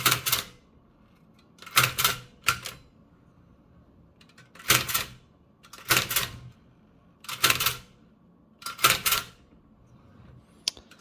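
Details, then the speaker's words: Toshiba BW-3112 Japanese kanji typewriter after restoration and final adjustments, typing English: crisp clacking bursts about every second and a half, each strike clean with no drag or stutter, with some crackling of the page; working properly. "But most importantly is that now it's pretty easy to type in English smoothly."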